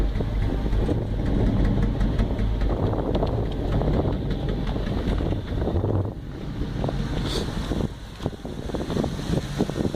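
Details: 5.3 V8, warmed up: idle rising and sagging with an irregular misfire stumble; surging only when warm, misfire developed after sitting a couple of weeks.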